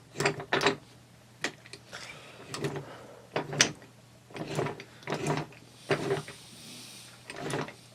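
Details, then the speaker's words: T96 transmission overdrive, gears turned by hand: gear rattle in bursts, then a small sharp click as the blocker ring hits the pawl and the sun ring stops rotating. This is normal blocker ring operation. "Just a little click, little tapping sound. Hear that?"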